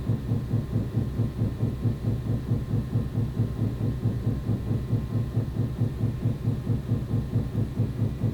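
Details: Very loud, deep heavy thumping in the walls at about two beats a second, started 3 days ago, sporadic, lasting about a minute each time; apparently coming from next door, cause unknown.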